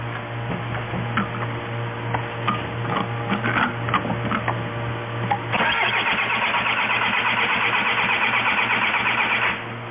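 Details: Steady starter churning with a low hum for several seconds but no firing on a 2004 VW Jetta wagon 1.9L TDI (BEW engine); it quit while driving, cranks yet won't start, starved of fuel.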